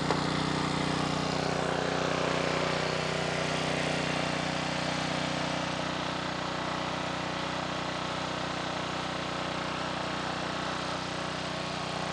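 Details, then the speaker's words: A 2.4-gallon Simpson pressure washer with the water on runs its small engine at steady, constant speed with no load change or bog. Water flows through but the pump isn't engaging or building pressure. A bad pump is suspected, and no pump oil fill has been found. "okay we have water going through the pump but the pump is not engaging"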